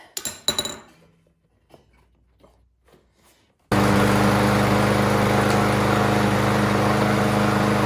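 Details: Craftsman M230 lawn mower after a no-start carburetion fix, new spark plug and full service: after some tool clinks it settles into a smooth, even, steady run with no misses or surging.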